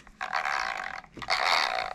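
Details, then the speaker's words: Traxxas Stampede RC car after tightening its loose motor, which had been causing a grinding noise: two short, smooth whirring bursts on throttle blips, with no grinding or rattle. Motor and gears now mesh cleanly. "and look what it did that was an easy repair the noise is gone"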